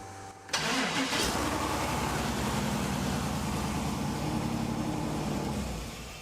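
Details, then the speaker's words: 1956 Pontiac 3/4-ton mud truck, first start after fresh wiring: it cranks briefly, catches quickly and settles into a steady, even idle with no stumbling or knocks. It sounds way better and is running healthy. "Oh yeah, this sounds way better."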